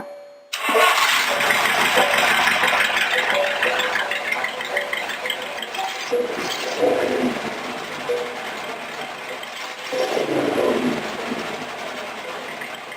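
Engine catches at once and settles into a steady, even idle with no lope or sputter; it sounds healthy.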